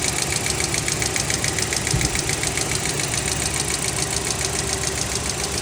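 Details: Hyundai Creta 2023-24 petrol engine idling with a steady, sharp ticking, about three to four ticks a second; customer complaint of engine noise, cause unknown.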